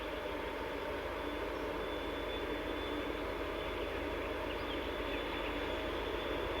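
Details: TEP70-0356 diesel passenger locomotive after a medium overhaul at Voronezh TRZ in November 2022, hauling a passenger train: a steady high whistle of constant pitch over a rushing run. Normal turbocharger whistle.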